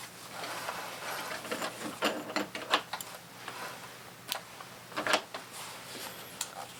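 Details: Secondhand Goodwill sewing machine after cleaning and new foot pedal, stitching without added oil. Light quick mechanical clatter with steady ticking rhythm, no grinding or binding. Owner disliked a noise earlier, but it runs with a good stitch.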